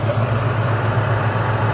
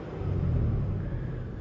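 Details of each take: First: Rough, hunting idle with a faint stutter in the beat, settling slightly, on a 300,000-mile engine before an engine flush and oil change; carbon buildup is suspected to cause the irregular idle, not confirmed. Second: 1998 Toyota Tacoma 3.4L V6, 300,000 miles, idling after AMSOIL engine flush and oil change: low, soft, even rumble with no ticking or knocking; owner says it was very loud before and now runs much smoother.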